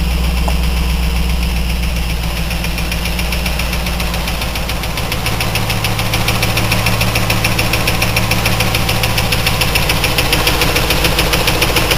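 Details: 2000 Trans Am LS1 V8, 95k miles, FAST 92mm manifold, 92mm throttle body, SLP FlowPac, 3.90 gears: fast regular light top-end tick, three or four per second, over steady idle; just started, oil fine, cause unknown.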